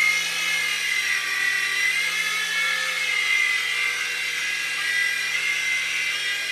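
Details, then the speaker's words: U809 Air Attack toy helicopter after a LiPo battery change and super-gluing slipping motor pinion gears; steady, high-pitched even rotor-motor buzz with no clicking or skipping, gear drive working; normal flight. "wow success we've got a working helicopter"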